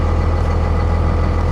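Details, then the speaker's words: 57,000-original-mile Dodge Ram 3500 diesel pickup at a salvage auction yard, tagged non-runner but starting, clutch and shifting good: a deep, steady diesel rumble with an even beat, no misses or knocks; normal idle. "She runs 57,000 miles and it runs."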